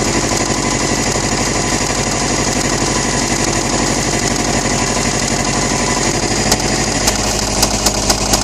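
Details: 2008 Subaru STI engine with rod knock: sharp, hard knocking rattles at roughly four blows a second; engine later rebuilt.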